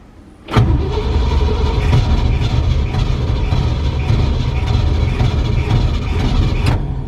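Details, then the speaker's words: V8 truck started after sitting: fires and settles into a heavy, uneven low rumble at idle, lumpy and unsteady; owner says it's not running on all 8 cylinders, a little smoky. "It's not running on all 8. It's idling now, so come on."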